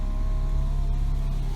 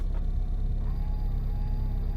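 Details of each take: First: Old, rusty, worn Honda Civic: steady, even window motor hum holding one pitch, then a soft thud as the glass stops; the power windows both work normally. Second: Worn Honda Civic, right power side mirror adjusting: thin buzzing whine over low rumble each time the mirror moves, far louder than usual; noisy mirror motor.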